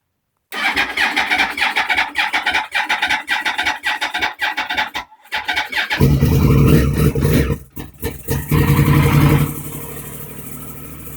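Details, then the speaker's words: 2009 Yamaha R1 with error code 12, after starter relay replacement, very cold and sitting in the garage, using starter fluid: several seconds of uneven cranking, then it catches and settles into a strong, steady run; normal start. "Yep, it worked. Yay, guys. 2 thumbs up. It works, guys. Everything's good."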